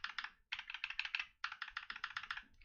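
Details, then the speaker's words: Mechanical keyboard switch after lubing: quick bursts of soft, muted clacks, smoother and more dampened, with no spring ping or rattle compared with the unlubed switch. "definitely a lot smoother than before and the sound is a little bit camp and clear the difference you can hear their rattling in this one this one is a lot more dampened"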